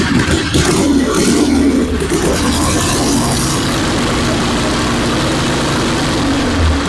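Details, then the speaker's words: 1974 Harley-Davidson Ironhead XLH Sportster chopper on a battery charger at startup, before the ignition work: loud, uneven idle with occasional stumbles, as if about to die; the owner suspects the ignition is cutting out, and fuel is reaching it. "it's like it's got a I think it would idle great and give a nice smooth ride but it sounds like almost like the ignition is kind of cutting out sometimes maybe it's just my ears but it just doesn't sound smooth it sounds like it's almost about to die"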